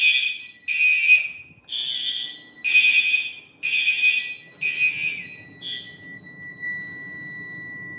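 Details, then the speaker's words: A fire alarm panel drill with the horn circuit disabled, showing a disabled trouble but otherwise normal: high electronic alert pulses about once a second, then a steady tone. A normal alarm drill. "And yes, since I did disable the horn, we do have a disabled treble, but otherwise it is normal, so."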